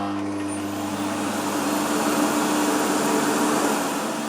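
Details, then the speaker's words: New-in-box 1990s German Bosch Perfecta 85 cylinder vacuum on its first run: after a very delayed start, an even, steady motor hum with a faint rising whoosh and a slight motor smell the owner doesn't think is a concern. Normal running. "thought it was broken but it as a very very delayed start and there's up it's a bit of a motor II smell well I don't think it's anything to worry about"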